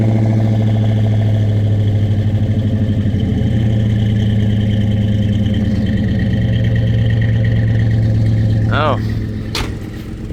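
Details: Chevy C10 on shorty headers with cheap new 2 1/4-inch exhaust on both sides, all tight: deep, steady exhaust rumble at idle, even beat, no knocks or rattles; normal idle.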